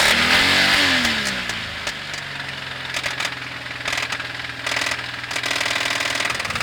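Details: Toyota 1G-EU engine running with a steady rapping of about four knocks a second over it; a clear engine knock whose source is still uncertain.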